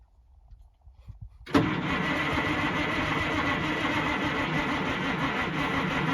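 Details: Kenworth K100 cabover, small-cam 350 Cummins diesel, 16-speed, sat 5-20+ years: quiet lead-in then the engine catches into a loud steady rumble, running only on ether as it couldn't pick up fuel from the tanks.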